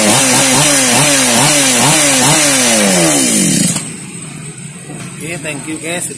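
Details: Mini chainsaw that was hard to start, after repair: little two-stroke blips up and down crisply on each throttle pull, then drops to a steady, even idle; running healthy.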